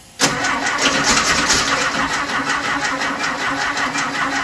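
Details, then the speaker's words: 1968 Porsche 912 air-cooled engine just reinstalled, second start attempt, battery possibly weak, valves not yet adjusted: a steady starter churn for about four seconds and the engine never catches; cranks but will not start. "no luck right now kind of sucks but i'm gonna try it again man"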